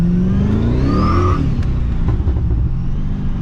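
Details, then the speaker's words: Pontiac GTO accelerating hard: clean rising engine tone, then the next gear with no clunks or shunts; driveline tight, spins tires sooner, shifts better, power delivery now instant. "So it goes into gear way better. The power delivery is like instant now. There used to be a little bit of hesitation before the power would start coming in, but it makes sense with sloppy bushings and stuff."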